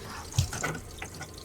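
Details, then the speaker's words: Skoolie off-grid water system during a pressure test, water left running in the bathroom: a soft, even trickle through the pipes with no hiss or spurting. No wetness or leaks at this spot. "leave that one running you can hear the water coming through the pipes down there"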